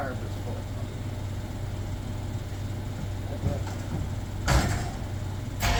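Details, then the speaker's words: 1967 Bombardier Wide Gauge snow vehicle, cold start at customer pickup with the fuel pump switched on first: a low, even rumble settles into a steady, healthy idle, with a couple of handling knocks. Idle deliberately not set up high. "I don't want to set up the idle too much because it'll all."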